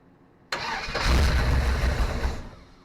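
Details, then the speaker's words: SBC 350 in '55 Willys wagon, first start after removal from '46 Chevy, new fuel pump and temporary tank: cranks about two seconds without firing; pump not filling carb bowl, owner suspects timing way off. "That fuel pump is still not filling this bowl. I don't know what the issue is."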